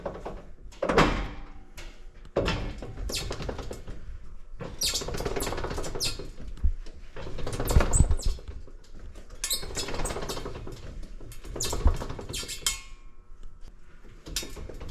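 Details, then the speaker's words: Jeep XJ raised off the ground in neutral, driveline turned by hand: irregular squeaks, chirps and a catching tink-tink clunk from the driveshaft; owner suspects a dry U-joint, not confirmed. "Anyways, it sounds like there's just this little bit of catch in here, making it like a little tin tink tink. I don't know. It's hard to explain, but from my understanding, it might be caused from a dry U-joint, and these U-joints"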